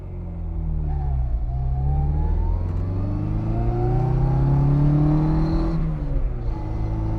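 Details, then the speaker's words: 1963 Austin Mini Cooper 997, 3-synchro 4-speed with straight-cut gears, driving in second: a clear whine climbs with road speed over the engine drone; this is the normal straight-cut gearbox sound. "Obviously, you got that first gear whine, which all 3 synchros are straight cut, but listen to when I put it in second. You're going to hear that straight cut gearbox."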